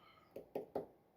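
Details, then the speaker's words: 1981 Corvette power antenna wired straight to power: the motor keeps running at full extension, giving sharp clunks of gears skipping over a faint motor whine. The owner expected it to shut off at the top. "And when it reaches the top, it continues to go. And you can hear the clunking sound of the gears skipping because it can't go any higher."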